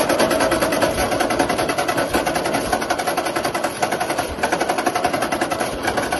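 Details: 1942 Ford 9N tractor with fresh gas and a hot battery, just started with choke: fast, busy ticking patter at a steady pace with no misses or surges; running evenly and healthy.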